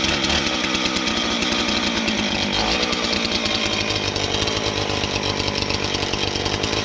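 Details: Husqvarna 450 X-Torq chainsaw: holds high steady full-throttle scream, no bogging, stumbling or surging; clean, normal running.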